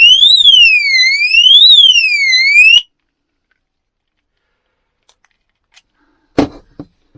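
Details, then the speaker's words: Oxford Screamer anti-theft alarm fitted in a motorhome: a loud piercing siren sweeping up and down about every 1.5 seconds, triggered by moving it while armed, then cut off when disarmed. The movement alarm works as designed. "so if now i press the button there's the beep that means it's armed or does it mean it's not armed might mean it's not armed that's what happens when you move it so let's disarm it"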